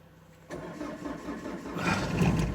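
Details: Opel Zafira with Z19DTH 1.9 diesel, automatic, cold winter start after work on a no-start: cranks briefly, catches and rises to a rough but steady idle; it starts.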